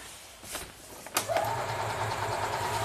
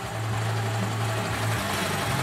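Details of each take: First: 2004 EZ-GO gasoline golf cart that quit after driving through a deep puddle: steady cranking that never fires; very weak spark. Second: 2004 EZ-GO gasoline golf cart idling steadily with a low, even chug and no misses or knocks after the no-start was traced to a switch; normal idle, all original parts.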